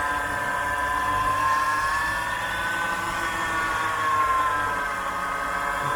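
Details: BMW E46 engine bay at idle: a thin, wavering whine around a kilohertz over a soft, steady petrol idle; suspected A/C compressor, and the whine seemed normal once the compressor was checked, unconfirmed.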